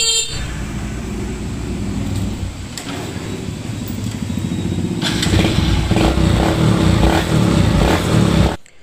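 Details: Raider J110 motorcycle that would not start, despite a new battery and spark plug. After two broken wires were repaired and the rectifier socket given a new terminal with the wiring returned to stock, it gives an even putter and settles cleanly after blips: healthy running.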